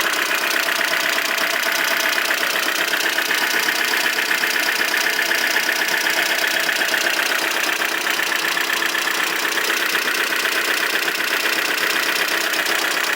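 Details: Aircross with the oil pressure light on: sharp, even tapping about four times a second over idle, an oil-starved engine knock.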